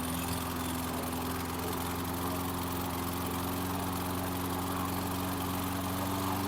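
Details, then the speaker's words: 2014 Troy-Bilt TB130 push mower, cold start, running rich with black smoke as the automatic choke stayed closed: uneven single-cylinder beat with slowly rising hum, then quits on its own with fuel still in it; stalling suspected to be an automatic choke issue. "that wasn't good it quit out on its own and it still got fuel in it so when you heard it uh start it was running rich"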